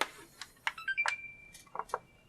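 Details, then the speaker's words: Xbox One S with power issue (beeps but won't turn on): short rising startup chime of a few bright notes, then near silence with no fan whir; powers up briefly but fan never spins. "it's like no fan no fan noise at all when it comes to the mic"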